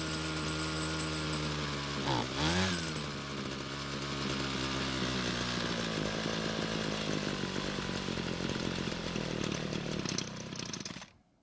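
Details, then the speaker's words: Cheap Homelite string trimmer that wouldn't start, after fuel system work: two-stroke buzz wavers and sags, then stalls once warmer; lean low-speed mixture starving it, fix planned by turning L screw a quarter turn counterclockwise. "so luckily it did start and run however it eventually stalled once the engine got a bit warmer what that's telling me is that the car was not able to supply enough fuel to the engine"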